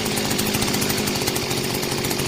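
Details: Mitsubishi gas-powered brush cutter engine after full overhaul, new spark plug fitted, test run after repair: small engine buzzing steady and high, smooth and even with no knocks or misses.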